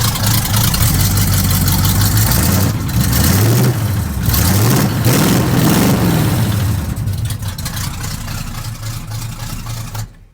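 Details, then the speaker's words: Truck with new exhaust: deep V8 rumble climbs and falls cleanly through several revs, then settles back to a smooth steady idle with no knocks; healthy, though a fuel leak still drips on the exhaust. "Yeah, that sounds pretty awesome. Let's give it one more."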